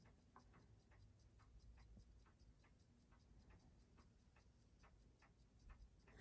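Crisp, even ticks at about six a second with no doubled beats or knocking: the movement is running healthy and steady.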